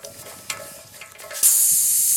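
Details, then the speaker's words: Grant boiler losing pressure, pressure vessel held about 1 bar: a sharp steady hiss starts as soon as the schrader valve is pressed and doesn't taper; the valve is letting by, with a stone or broken part found inside. "And as you can hear, it's letting by. So that's not very good. So I'd say that's exactly where our problem is."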